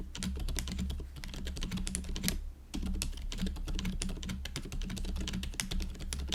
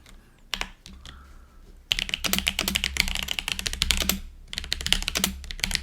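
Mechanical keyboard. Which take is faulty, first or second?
second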